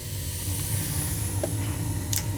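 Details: Gas boiler that would not turn on, after replacing a failed 24V glow igniter (it failed the ohm test) on a smart valve: it clicks and lights, with a steady low roar and soft hiss, no pops or surging. The burner fires evenly.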